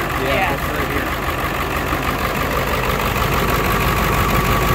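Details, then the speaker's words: 2001 Ford F450 7.3 Powerstroke diesel on warm day, started after Hot Shot's Secret additive: uneven shaky clatter and loping idle from one lazy injector slow to start working since purchase. "you see how it's shaking now foreign anymore but I really don't want to put a set of injectors in this"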